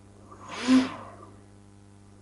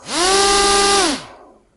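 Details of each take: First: Two brushless motors wired to one ESC (speed controller): three slow swells of motor whine, each taking about a second to build and fade; sluggish response to the throttle knob. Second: Single brushless motor on its own ESC, with the second motor disconnected: clean rising whine climbs quickly to maximum, holds a steady high pitch, then winds down smoothly; the motor spins freely.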